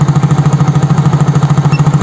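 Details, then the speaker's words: Soul GT fuel-injected scooter (same engine as Mio J), warm at 80 °C, after stalling fault traced via low barometric reading (85 kPa): steady even idle around twelve beats a second, no dips or stalling; fault cured. "Nah ini motornya sudah tidak mati-matian lagi ya ya teman-teman ya berarti sudah sembuh penyakitnya"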